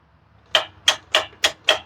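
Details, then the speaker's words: Exmark zero-turn mower, Kawasaki engine with crank-no-start, key on, engine off: six crisp clicks about a third of a second apart from the fuel shutoff solenoid under the carburetor; solenoid working normally. "as I turn that key on, you can hear it, but it's hard to reach, but you can reach over. In this case, you got to reach all the way over, and you can feel it clicking on and off. So we know that's working."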